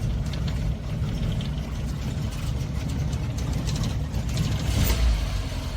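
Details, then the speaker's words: Carbureted Suzuki Samurai (SJ410/SJ413) after carb troubleshooting, in cooler evening air: after a couple of pedal pumps it starts and holds a low, steady idle rumble with no misfire stumble or knocking. Normal idle. "okay here goes nothing couple pumps ready she runs"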